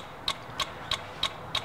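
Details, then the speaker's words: 2003 Dodge Dakota 4.7L with key off and engine shut down: sharp evenly spaced clicking, about three a second, from the engine relay in the starting circuit; vehicle stalls while driving and has a troublesome alarm. "I heard this clicking while I turned the key off getting ready to go home I'm going to show you the area now you should be able to hear that clicking it's not supposed to have that clicking"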